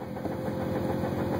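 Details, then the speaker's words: Subaru WRX, near-stock stage 2 (intake, exhaust, Cobb Accessport) with Exedy stage 1 clutch at 1,400 miles, idling: fast rattly knocking with clutch engaged, gone with pedal pressed; owner suspects broken disc spring or bad throwout bearing. "and that's the noise clutch back in the noise goes away"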